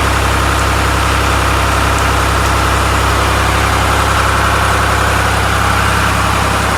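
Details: 1993 Lombardini single-cylinder diesel generator, restored, first run with a test lamp connected; loud steady beat about 220 pulses a minute, even and unwavering throughout. Normal running.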